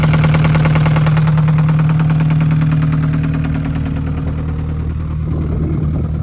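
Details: Alfa Romeo 156 1.8 engine at idle: steady even knock about three times a second over the low engine drone; engine knock, cause unknown.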